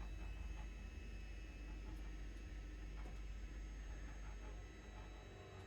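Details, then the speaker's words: John Deere S690 combine just shut off after fall 2021 harvest: faint steady pump hum with soft irregular gurgles and ticks as the DEF is pumped back from the lines, a normal purge after every shutdown. "I have to wait for the def to get pumped back. What do you mean the def's gotta get pumped back? Well, every time you shut it off with a unit that has def on it, hear it,"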